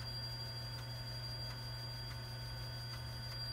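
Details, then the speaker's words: TRS-80 Model II/16 8-inch floppy drive imaging a disk: faint, evenly spaced head-step ticks about every half second over a steady hum; data on each track reads and verifies correctly so far. "we'll do a read and then an analysis to verify that is correctly read the data on each track so far so good"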